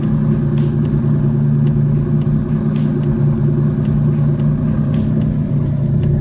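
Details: Engine with seized hydraulic lash adjusters (top-end, not rod knock), run for a while to locate the noise: heavy, uneven low rumble with lumpy beat and faint light ticking on top; misfiring, cause unconfirmed.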